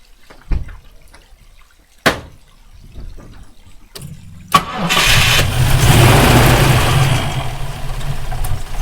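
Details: Rover P5B coupe V8 with a misfire appearing when hot: clicks, then cranks, catches and runs with an uneven stumbling beat, attributed to a loose distributor nut, during rotor arm and condenser replacement.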